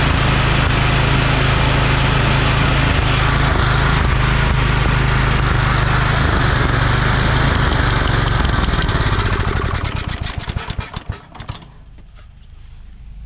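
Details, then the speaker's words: Free Craftsman DYT4000 riding mower with Kohler Courage 20 hp engine, battery at 12.79 V, fuel pump hooked up: steady, even thump with no exhaust rasp or knocks until shutoff, well muffled. Charging is good, the carb is decent, and the starter is acting up. Normal running. "yeah we got a good charging on the system if i need to replace the fuel pump i will not a big deal carb seems to be working decent"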